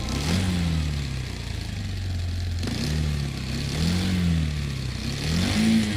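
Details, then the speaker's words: Motorcycle engine blipped, loose gear rattle most prominent on deceleration as revs drop: assembly balancer idler gear noise, also called engine backlash noise, caused by excessive clearance between the two gear teeth. "this is called assembly balancer idler gear noise the noise is prominently heard on the engine on deceleration this noise is also called engine backlash noise and it is caused because of the excessive clearance caused between the two gear teeth"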